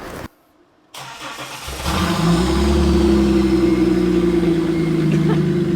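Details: Stock V6 VX Commodore with the muffler cut off and a new side-exiting exhaust welded up, first start. It cranks briefly, catches and rises into a loud, raspy rev, then settles into a steady roar: a healthy engine on an unmuffled exhaust.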